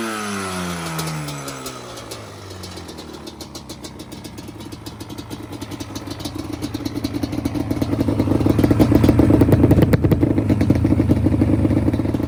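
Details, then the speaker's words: 2002 Yamaha Banshee two-stroke ATV during a tune-up, running with the choke on: uneven popping idle that stumbles and picks up roughly as revs build, sounds like an RC car; rough running on choke. "She don't like to be choked. It sounds like an RC car."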